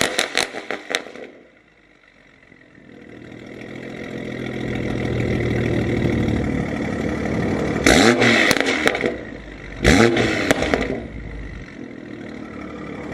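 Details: 2020 BMW M340i started after reinstalling catless downpipe and mass airflow sensor; starter cranks and catches, two sharp blips, then steady even idle; normal start and idle.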